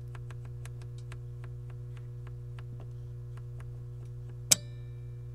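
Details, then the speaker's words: Pioneer SX-980 receiver, auxiliary selected with no signal, microphone right at the protect relay; quiet mains hum, faint ticking, then one sharp click as the relay drops out when volume is raised; cause still unknown. "so there you go it shut off just by turning the volume up with no signal whatsoever"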